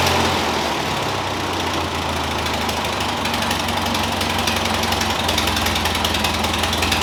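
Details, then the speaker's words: Ford 2N tractor petrol engine running on its own for the first time in years, after fitting a new aftermarket carburetor, no coolant yet: steady, even low idle throb with no knocks or misses. "all right guys finally this thing is running it's operating perfectly fine"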